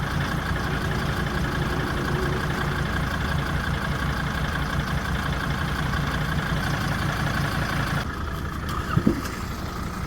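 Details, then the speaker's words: Mercedes 2.7 OM612 five-cylinder diesel, cold idle, about 150,000 km since cylinder head replacement: rough uneven idle with dull repeating boom-boom thud under the clatter; intake knock from leaking injector seat with stripped thread. "Заводишь машину, и на холостом ходу, пока двигатель ещё холодный... Бу-бу-бу. Вот такой звук."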